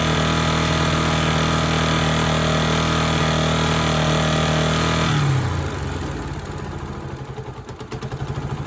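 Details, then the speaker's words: Honda Sonic single after top-end rebuild (new cylinder, piston, rings): regular light tapping about three to four per second at low idle, tolerable at low rpm but bad at high, dying at shutdown; piston hitting cylinder head. "ในในรอบตับต่ำนี่ไม่ค่อยดังเท่าไหรนะรอบต่ำรอบรอบต่ำนี่พอรับได้เสียงแต่ว่ารอบสูงนี่ไม่ได้"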